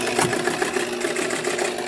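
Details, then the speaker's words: Pinball machine after cleaning and repair: a steady busy chatter of relays and motor runs on and never reaches a clean finishing clunk, so the reset cycle does not complete. The reset coil is suspected, possibly not getting power. "definitely not resetting so turn it off all right so definitely the coil for the reset is um got an issue"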